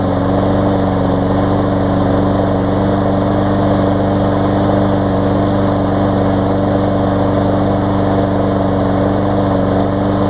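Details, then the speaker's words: Newer Lawn Boy mower that sometimes wouldn't start warm, after dirty carb cleaned, on test bed: steady, even drone without surging or stumbling, running much smoother; normal running. "yeah I can already hear it's running much better quite a bit smoother there"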